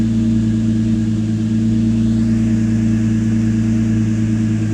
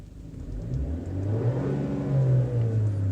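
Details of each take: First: 2013 Chevy Cruze, first startup after the correct ignition coil was fitted (a bad coil had mistakenly been reinstalled): steady, even idle with no misfires. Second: 2013 Chevy Cruze that won't exceed about 30 mph, at full throttle: revs climb with no turbo whistle or spool-up, boost reading zero; earlier whining noise from engine; turbocharger failed, no boost.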